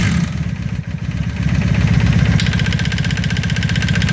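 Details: 1995 Honda Magna: steady low rumble with fast, uneven ticking top-end knock at idle and revs; owner suspects chain tensioner or valve noise, unconfirmed.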